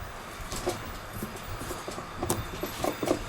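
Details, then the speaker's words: 2014 Jeep Wrangler Rubicon, front right (passenger) Dana 44 axle: faint irregular clunks and clicks as the wheel is rocked, from a badly worn front axle U-joint that was later replaced. "So that led me to investigate, and here's what I found. That's your front axle U-joint."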